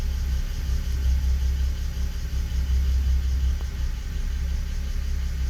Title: 325i e92 bmw misfiring cold start on inpa